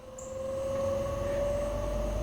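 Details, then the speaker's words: Newly installed OutEquip Pro 12V rooftop A/C on a 6x12 V-nose camper, after fixing a temperature-probe plug error: steady mid-pitched hum rising slightly as the compressor spins up and settles, no rattle; normal compressor running, cold air follows. "We actually have temperature now, which is good. It's better than what I had before. I hear the compressor already."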